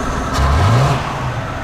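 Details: Original, apparently never-rebuilt 1953 Buick engine, distributor freed, timing not yet finalized and a little hard to start: picks up cleanly on a quick blip and settles back without misses or knocks. Normal free revving.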